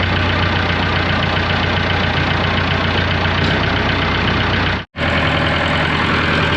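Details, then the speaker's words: Diesel dozer engine just after injection pump work, started with a jump from a truck: steady, slightly clattery idle with a deep even rumble and no missed beats; normally a little smoky and noisy, now running as it used to. "I'm not saying she's like a kid, but she sounds like she used to before. It's uh it's always been a little smoky and a little noisy, but she's a running outside without getting stuck."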